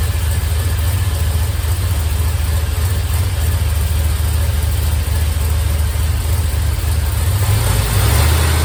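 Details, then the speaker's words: 1951 Buick with turbo LS V8, warming up to open thermostat: even low idle rumble, revs lifting slightly near the end, no lifter or rocker ticking; valvetrain quiet, longer pushrods judged unnecessary. "Seems to have quieted down quite a bit, so I think I'm good to go. I don't think I need longer push rods."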